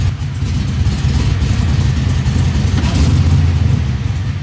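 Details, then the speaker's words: LS-swapped 1973 Nova, down on power, idling with a big cam that masks roughness. Light throttle blips catch and skip instead of rising cleanly, a misfire stumble; the owner plans to datalog for the tuner and change the spark plugs. "i'm just gonna kind of blip the throttle just a light little blip and i want to see if i can pick this up on camera"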